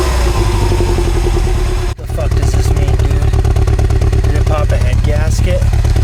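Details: Mini Cooper Clubman S, about 400 miles since purchase, 4 miles into a drive with a flashing check engine light: loud engine with an uneven stumble of about three pulses a second; misfire.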